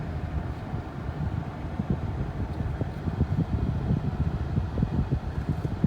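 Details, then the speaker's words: 2015 Ford/Lincoln 3.5L V6 EcoBoost after a new MAP sensor failed to help: low, lumpy idle with uneven stumbling beat and faint wind whoosh; engine still running rough with misfire, cause unconfirmed. "but yep it didn't work car's still running like garbage"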